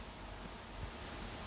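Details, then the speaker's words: RGB DMX disco light during repair, first power-up: small cooling fan runs with a steady even airy rush, no ticking or scraping, quieting after a start-up speed-up; normal healthy fan. "The fan is quieting down a bit. That must just be like a start up, speed up sort of thing, noise."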